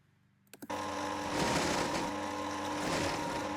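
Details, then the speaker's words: Milling machine plunge-cutting with a high-speed steel roughing end mill, with lube: a steady ringing tone over the spindle noise holds through the pass; the end mill is chattering. "You can you can hear it vibrating."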